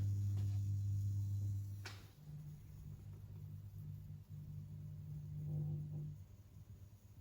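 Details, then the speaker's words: Street light lantern fitted with a plug, with an electronic driver: a loud low hum drops out, then wavers back as a higher buzz, and the lamp splutters before starting. The driver always struggles and the lantern is always noisy. "Sounds like that electronic driver's struggling a bit. But it's always done that."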